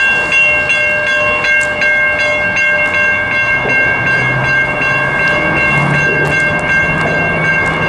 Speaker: relay been a while since i've seen a crossing malfunction before i get some action shot here shortly you're not sure if you can hear if i can kind of hear it clicking